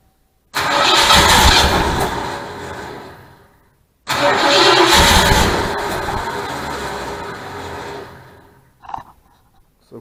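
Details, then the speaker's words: 1972 Mustang Mach 1, 400 big block, fuel primed with a little gas: two bursts of cranking, then it catches and fires with rough revs before settling; normal first start. "surprise put a little gas it she did wanted to crank up"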